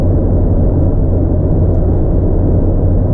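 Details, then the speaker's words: 1997 Mazda Miata, odometer 150,701 (replaced cluster, true mileage unknown), driving, recorded on GoPro Hero5. Deep, steady exhaust rumble, smooth and even with no popping or rasp: healthy exhaust note. "And I like a little bit of noise coming out of the back of my car. It's just enough to know that, you know, it's got a nice exhaust on it. I don't plan on making this one obnoxiously loud like some of my other cars are, but I think it sounds pretty good."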